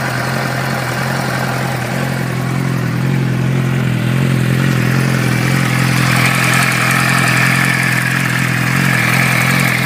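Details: 2006 Suzuki GSX-R600 four-cylinder idling: light, fairly regular tick about three per second over the hum, cause unknown.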